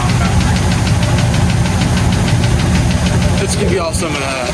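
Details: 1984 Ford F250 with a 351W V8, previously extremely boggy and wouldn't rev, after repairs: deep, steady rumble at idle, firing evenly on all cylinders with no miss or stumble; sounds healthy.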